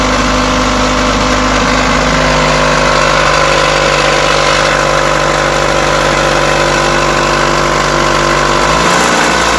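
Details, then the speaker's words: Mitsubishi Outlander 4G64 petrol engine idling with a light, quick knock from the front; worn hydraulic timing belt tensioner plunger no longer holding pressure; knock disappeared after installing a new tensioner. "так Всему виной был гидронатяжитель ремня ГРМ"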